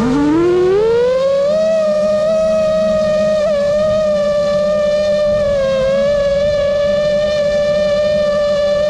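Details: 5-inch quad with new frame, Xing 2207 2450KV motors, 5x4 V1S props, Spedix 30A BLHeli32 ESCs, Bardwell F4 V1, Betaflight 4.1, 1500mAh 4S: loud steady motor whine rising then holding with slight warble; constant microvibrations, cause unidentified.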